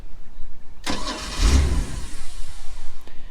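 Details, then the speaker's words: Mercruiser boat engine with an Alpha 1 Gen 2 outdrive starts after a bad connection was fixed and a new battery fitted. It cranks briefly, catches at once and settles into an even, steady idle: a clean, healthy start. "anything wow okay I think we found out what the problem was that fired up way"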